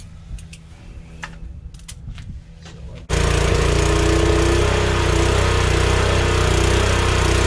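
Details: DeWalt pressure washer after replacing pump valves, likely broken by winter freezing: engine fires after three seconds and holds a steady, even drone with the pump running smoothly; running normally.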